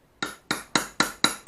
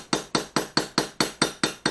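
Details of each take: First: Ura-dashi on a Japanese plane blade: six sharp metallic hammer taps, about four a second, each ringing with a bright tang. Wrong: the hollowed blade back floats unsupported and can crack; a support contacting the hollow is needed. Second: Tapping out (ura-dashi) the back of a Japanese plane blade with the lightest hammer: nine slow, gentle, evenly spaced taps, about four a second, each a short dull knock without ringing. Correct light pecking that won't crack the blade.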